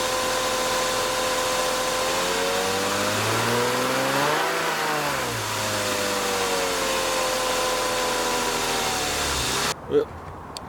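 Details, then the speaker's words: Cold E36 M3 (1998 or 1999, 160,000 miles) idle sags mid-clip then climbs back and settles; cleaning/changing the ICV didn't help, and unplugging the mass airflow sensor made it start fine, pointing to a faulty MAF. "after changing that whole icv and all that nonsense I wasn't getting any better of an idle"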